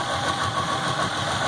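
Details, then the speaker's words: Yamaha F250 V6 outboard after flushing water from the fuel rails, injectors and vapor separator tank: uneven idle with irregular stumbles; at least one cylinder misfiring, likely from water still in the injectors and rails. "this mother's gonna run like crap for a little while this still probably gotta water in the injectors and it's probably still water in the bottom of the rails definitely got a miss on at least one cylinder"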